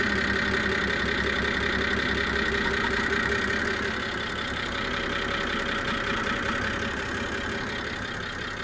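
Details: BMW E92 325i at idle, bonnet open: uneven pulsing misfire with a faint high screech and vibration, starting after an engine cleaner was used before an oil change; NOx sensor replaced, combustion misfire code remains; owner suspects an air leak.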